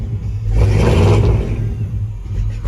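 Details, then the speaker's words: 1986 Chevrolet Blazer, 383 V8, fuel injected, automatic, 4x4, with loud exhaust, at start-up: a loud V8 rumble rises briefly with the throttle, then settles into a slightly lumpy but steady idle from a mild cam. Runs solid; normal idle. "solid running. You can hear it's got a little bit of cam to it, but we'll go through."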